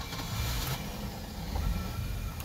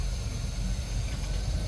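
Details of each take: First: Boat engine with Holley Sniper EFI, hot restart, idle set to 20 percent: low idle rumble swelling and sagging about every second, running lean at start-up before swinging rich; surging idle from lean mixture. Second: Old boat with Holley Sniper EFI, updated settings (IAC 10-15%), cold start at the launch ramp with outdrive down, key only: fires right up, deep steady rumble with even beat, no stumbling; clean cold idle.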